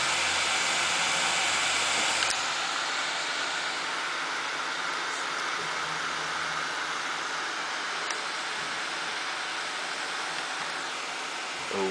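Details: First power-on of a new home-built PC (Intel E8400 overclocked to 3.85GHz, XFX 780i SLI, Swiftech H20 220 water cooling, 2x 8800GTS, OCZ 700W PSU, Hitachi 1TB drive): steady even airy fan rush without rattles or ticking; normal fan spin-up.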